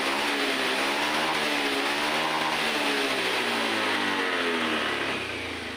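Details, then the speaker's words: Honda Vario 110 FI scooter after a full injection service, with the data reset via a scan tool and the throttle-opening reading now at 390: strong, even revs that climb cleanly and drop back smoothly; very responsive. "Tarikan gas motor sekarang sudah enteng sekali dan terasa sangat responsif."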